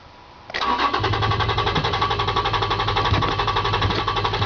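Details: Toyota Tacoma, fuel-injected: starter grinds over at an even four beats a second for about four seconds and the engine never fires; hard-start condition with extended cranking.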